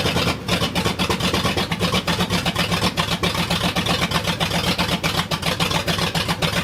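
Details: 1979 Ford F-250, brand-new 351M V8 first start: uneven lumpy beat with irregular firing pulses, roughly four a second, idle unsettled; owner can't get timing right and carb was gummed from storage, likely still mistimed.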